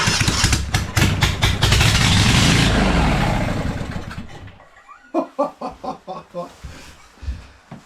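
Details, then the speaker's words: Kawasaki FX730V v-twin on an engine stand, choke off, throttle around mid: strong, even beat held steady a few seconds, then shut off and coasting down; healthy running engine. "Ah, yeah. She's a runner. That's great."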